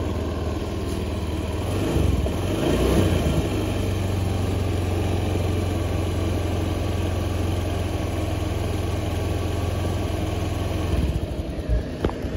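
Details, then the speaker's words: Honda Beat injection bore-up scooter after CVT service (block, rollers and clutch shoes cleaned with petrol; rough before): steady even idle drone with low rumble, no rattle or slipping surges; belt drive now smooth, normal CVT running. "Coba dites dulu oke Guys ini untuk suaranya mudah mulai sudah mulai halus"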